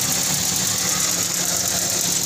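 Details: Toyota Vios that had suddenly stopped and would only crank, after the fan belt snapped and hit the crankshaft area, now restarted after repair: even, steady, smooth idle with no knocks or misses; normal idle.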